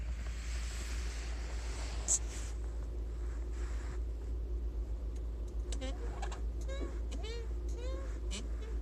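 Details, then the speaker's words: Six-month-old Lada Vesta 1.6 with VAZ gearbox, 6,700 km: short rising squeaks each time the clutch pedal moves, starting about a month earlier. The dealer's silicone spray, applied twice, didn't cure it. Clutch pedal squeak. "скрип педали сцепления проявился где-то месяц назад давайте послушаем"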